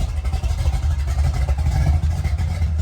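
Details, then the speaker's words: 1972 Chevy short bed big-block V8, idling with throttle blips: deep, lumpy, evenly firing burble with no knocks or ticks; healthy engine. "Listen to that thing purr right there, guys. That is a great sound. Black Cherry 72. Woo. She sounds good."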